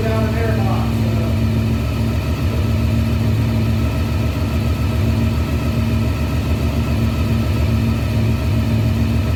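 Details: 1993 Honda VFR750F, cleaned carburetors, first start after sitting over a year, no airbox, breathers blocked: steady quick idle with an even beat and no hunting or dropouts; starts and holds idle fine.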